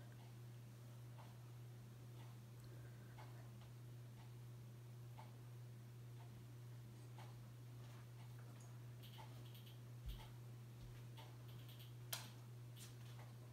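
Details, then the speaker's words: 42-inch Hampton Bay Landmark III Plus ceiling fan installed about 2011, running on low speed: quiet, constant low electrical buzzing hum with no pitch change; the buzz gets worse on medium and high, cause unknown. "here's low probably you're the buzzing noise it makes but gets even worse on a medium and high high is its loudest speed"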